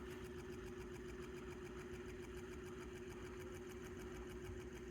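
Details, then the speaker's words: Fan running on high with blades on, struggling and slowing: low hum, steady drone, uneven fluttering chatter; new capacitor fitted, also ran without capacitor, and oiled, yet still strained, cause unknown. "turn it on high look stopped oh now it goes struggling it's struggling badly very badly"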